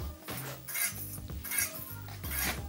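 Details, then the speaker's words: Mountain bike front wheel spun in a stand: metallic scrape returning about once a second as a warped or bent disc rotor drags the pads; fix by truing the rotor and aligning the caliper. "we're going to spin the front wheel and have a listen because that's a great way of finding out if the rotor is Warped or maybe it's got a bit of a bend in it and it's out true"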